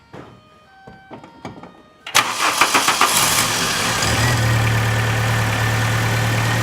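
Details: 2000 VW Cabrio (MKII) that turned over but would not start, fixed by substituting a used ignition coil from an MK2 Jetta; the original coil was found cracked. After a few cranking strokes it catches and settles into a steady, even idle.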